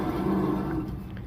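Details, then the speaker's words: 2016 Ford Transit 350 front wheel hub: hollow, growling roar that dies away as it slows. The worn front wheel bearing roars louder with road speed, and the hub assembly is being replaced. "but you can hear that bearing they're loud"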